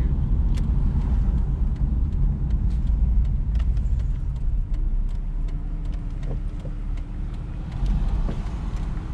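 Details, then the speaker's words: 2004 Ford Mustang test drive after lower ball joint replacement, which previously creaked and squeaked: only steady road rumble through a slow turn, no creak or squeak from the front end; quiet front suspension while turning. "As you can see there, there's no squeaks in the lower ball joint like there was before. That turn definitely would have had a squeak."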